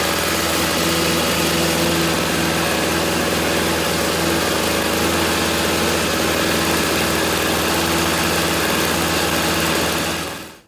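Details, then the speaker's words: 21-year-old 2-stroke snowblower from 1997–1998 after fitting a new $13 carburetor and cleanup, started on primer with choke at middle: smooth even drone for ten seconds, winding down cleanly at shutoff; normal running. "Put a $13 carburetor in it, and it is up and running and ready to go."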